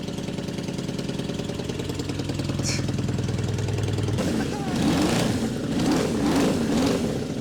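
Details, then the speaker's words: 1989 Suzuki Katana 600 motorcycle idling: loud raspy puffing idle with a sharp chuff each firing pulse, sounds like a lawnmower; exhaust leak from a hole hidden behind the fairing, visible leaking. "Sounds like a lawnmower. It does sound like a lawnmower."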